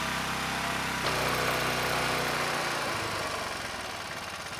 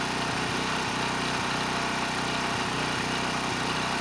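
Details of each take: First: ETQ 2700 W generator with brushless powerhead, long stored, original jetting, no load: after fixing surging, engine runs fast and smooth with a high steady buzz at 70 Hz, then tails off; overspeed from governor set too high, still ~65 Hz with spring slackened. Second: ETQ 2700-watt generator with brushless powerhead, found not running after years in storage: steady, even speed with no hunting or surging at 100 watts over rated load, near 61 Hz and 118 volts; normal running under load.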